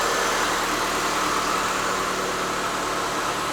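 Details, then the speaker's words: 2006 Mitsubishi Lancer ES first started after sitting about four years in storage on five-year-old gas: a steady, even idle with a smooth hum and no tick or knock. It sounds healthy. "oh it's running that's good thing's running good this sounds perfect no tick nothing"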